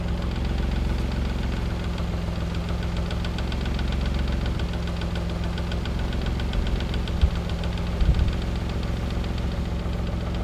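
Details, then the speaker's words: Warm Mazda KL-DE 2.5 V6 swap, timing at 10°, in diagnostic mode, after a quarter-turn idle air screw adjustment: idling near 750–800 rpm, drifting up and down; idle hunting while the system relearns. "uh will hunt up and down as you see it while the system's learning where it needs to be that's why you've got to give it a minute between adjustments"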